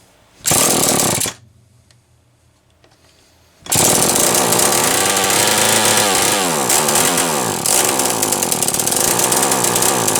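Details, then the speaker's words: Homelite XL-123 chainsaw, unused about six years, carb already cleaned: fires briefly, dies, restarts and runs with a wavering, surging pitch and uneven beats; intermittent misfire, ignition problem suspected (switch or something else), not confirmed. "well that's ignition there is no question in my mind that that is an ignition problem so whether it's that switch or something else i don't know"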